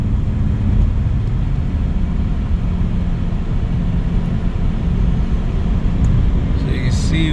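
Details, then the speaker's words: Repaired 2006 Subaru Legacy (previously not shifting and grinding in park) on highway approaching 70 mph: steady even road and tyre roar, no rhythmic rumble or drone; drivetrain sounds smooth and normal. "So, we're going to get up to 70 and no rumble strip noise either."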